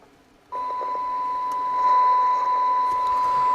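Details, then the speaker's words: CB radio receiving a test-set signal on 27.79125 MHz: clean steady test tone with faint hiss, still clear at 2 and 1 microvolt, showing good receiver sensitivity; volume pot scratchy. "That's because I got on 400 microvolts. It's actually receiving very well. Two microvolts, one microvolt."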